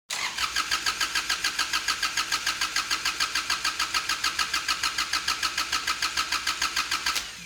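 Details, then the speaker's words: Kubota D722 diesel swapped into a Saturn SC1 coupe, starter hotwired: even cranking about three and a half turns a second for seven seconds without catching; the injection pump lost its prime and needs time to pressurize. "I was afraid this would happen. It seems the injector pump lost its prime, and it's going to take a moment or two to pressurize the system."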